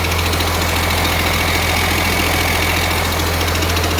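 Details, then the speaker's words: 1948 Ford F6 COE rat rod with 190 HP 5.9 Cummins 6BT (from 1994 Ford F700), P7100 pump, #10 fuel plate, first start-up: steady deep diesel idle under loud constant rushing clatter of the air compressor charging; engine healthy, not smoking much. "Loud noise you hear is the air compressor. Great oil filter."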